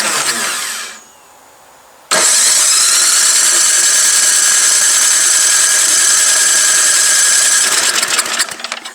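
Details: Old MTD Yard Machine snow blower, unused about 1.5 years, electric starter run off an extension cord. The starter whirs steadily for several seconds but the engine never fires; the cylinder is found extremely flooded with fuel (Champion plug).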